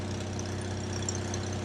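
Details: Onan generator for an MC9 bus RV conversion, after reassembly: steady, even low rumble with no misses, surges or knocks, holding speed; running normally.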